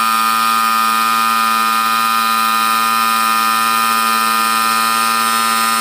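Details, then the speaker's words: Air compressor, about 25 L tank, after replacing reed valves and one-way valve (previously wouldn't build pressure): steady even motor hum, constant pitch, no knocking or wavering while refilling tank; normal running after repair. "So ngayon okay na siya kita niyo Nag stable na yung pressure niya gamitin ko yung hangin pagbaba niyan"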